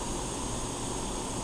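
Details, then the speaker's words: Barn-find Yamaha 650 motorcycle leak-down test with homemade tester in spark plug hole, regulated air about 9 lb, piston at TDC compression, both valves closed: steady even hiss, engine leaking air; intake valve later found sealing well. "Now, with the piston at top dead center and both valves closed, this engine is leaking air."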